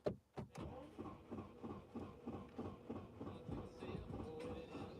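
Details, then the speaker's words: 2012 BMW 520, 135 kW, automatic, about 235,000 km: starter churns in steady pulses about three per second with only faint catching and the engine never fires; crank no start, cause unknown, something on top such as an injector suspected. "Добре попробуємо неї завести чуєте така не заводиться машина не заводиться"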